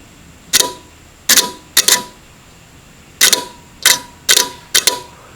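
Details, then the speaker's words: Electric oven control board relay (12VDC) bench-powered from a drill battery: crisp sharp clicks in irregular bursts as it pulls in and releases; continuity confirmed on bake and broil contacts, so the relay works. "okay so both relays are working so let me check for continuity across the terminals when when I power the relay"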